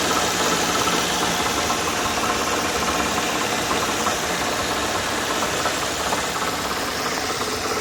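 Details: 2002 Nissan Maxima V6 at idle with loose metallic rattle, code P0420; traced to broken honeycomb in bank 1 pre-cat nearest firewall; replacing pre-cat removed the noise.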